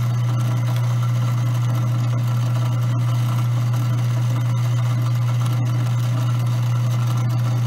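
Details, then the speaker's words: Grindmaster coffee grinder running empty during burr calibration, center screw backed off just until the chirping stops: steady low motor hum, smooth and even with no burr chirp; normal running. "Once you hear that chirping noise, you want to back it off just enough so that noise stops."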